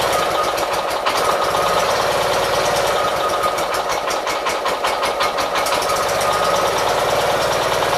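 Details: 1976 Gravely 816 tractor, after reassembly, carburetor dry then possibly flooded: ragged stumbling idle with irregular pops and sputters, recovering; cause unknown, flooding or fuel suspected.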